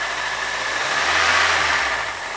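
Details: Toyota 3RZ petrol engine in a family SUV, owner reports no trouble ever: catches and settles into steady even idle with faint hiss, no knocks or rattles; healthy.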